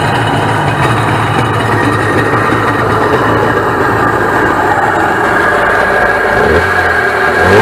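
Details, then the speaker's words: 1996 Sea-Doo SPX 717 two-stroke PWC idling after the missing cooling-fitting O-ring was replaced: an even, steady burble with no knocks or misses that picks up smoothly, a healthy idle. It smokes somewhat, likely from oil still in the system and rich premix. "but yeah she she sounds pretty healthy from what I understand by listening to it"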